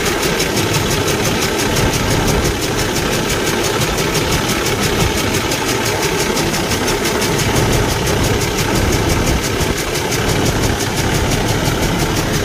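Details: Kenworth T680 truck with a Cummins ISX15 diesel running rough; steady ticking knock about three per second over the engine from a damaged cylinder leaking compression, causing no power and high crankcase pressure.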